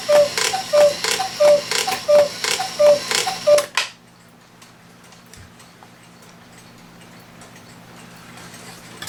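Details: 1969 E. Schmeckenbecher Black Forest cuckoo clock after movement oiling and bellows clamped: six evenly spaced cuckoo calls then quiet, striking cleanly, though the bird doesn't move up and down enough.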